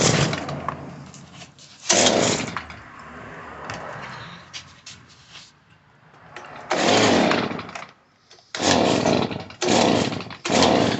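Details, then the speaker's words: Stihl BG 86 two-stroke blower during carburetor adjustment, mixture screw turned counterclockwise: revs flare in ragged bursts and sag, never holding steady; adjustment fails and the owner concludes the carburetor must be serviced. "yeah it's not gonna work i gotta do the carburetor unfortunately it's just"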